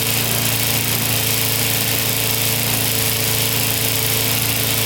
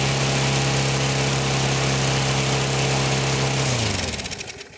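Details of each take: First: Older Briggs & Stratton 3.5–4.5 hp lawnmower engine with carburetor on metal tank, after diaphragm replacement and cleaning: steady, even single-cylinder buzz without stumbles or surging, running cleanly. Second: Older Briggs & Stratton 3.5–4.5 hp mower engine, metal-tank carb, after diaphragm replacement and cleaning: runs at high steady buzz well above normal and unstable, then winds down; overspeeding, governor spring set too high.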